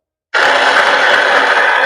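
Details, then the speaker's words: Hero Splendor motorcycle starts fine on kick; on electric start: steady high whir that never changes, starter spins but engine doesn't turn; one-way starter clutch lock suspected broken or worn. "देख सकते हैं से रा घूम रहा है but bike start नहीं हो रहा मैगनेट नहीं घूम रहा शायद इसका मैगनेट का जो लॉक वो शायद लॉक खुल गया है या तो खराब हो गया है"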